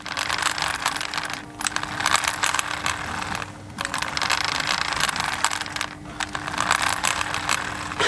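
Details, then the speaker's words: HPI Savage nitro RC monster truck pushed by hand, spur not turning the clutch bell: gritty bursts of crunching and ratcheting as gears slip instead of driving the wheels; gear crunching, centre diff suspected. "Listen and you can hear gears crunching."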